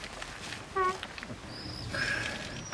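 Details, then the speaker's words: Car door hinges give short sharp creaking squeaks as the door swings, before lubrication. They are then treated with a hybrid silicone anti-squeak lubricant worked into the hinges, which eliminates the squeak. "сегодня будем устранять скрипт двери с помощью гибридного силиконового средства UN от компании фле нас такой вот звук замечательный"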